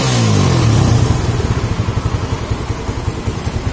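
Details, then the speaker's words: Suzuki Satria FU motorcycle after cutting back a cracked hose to the AIS that let air into the manifold: revs fall from a blip and settle into a steady even thumping idle. Idle normal again. "Masih bunyi. Langsamnya normal kembali teman-teman."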